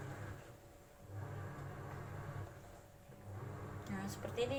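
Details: AQUA single-tub washing machine in the wash process after filling. Low hum surging on and off roughly every second as the tub agitates, with no knocking or scraping; not very noisy, a normal wash with 39 minutes remaining.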